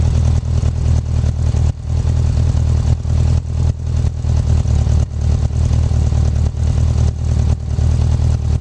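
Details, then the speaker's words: 1984 Honda Goldwing 1200 after swapping OEM fuel pump for a 1985 Honda Prelude fuel pump: deep, low, steady burble with no misfire or knock, slight vibration at the pump; engine running normally. "But other than that, you can hear it's running just like it's supposed to be."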